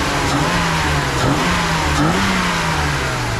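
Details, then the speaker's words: BMW E36 328i, 5-speed, revived after sitting over five years: it had lifter tick at first start, and after hard driving the engine pitch climbs and falls cleanly with no top-end ticking; valvetrain now quiet. "you guys remember when I first started up lift your tick lifter tick well listen to this thing now man quiet as can be"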